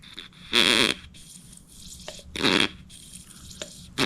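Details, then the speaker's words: 1935 Austin 7, cleaned fuel pump being tested: hissing, gurgling suction strokes every 1.5–2 seconds; pump creates suction but bubbles suggest an air or vacuum leak stopping it from pumping out, or a part fitted backwards. "It's definitely creating suction, right? Maybe there's a leak. I see some bubbles."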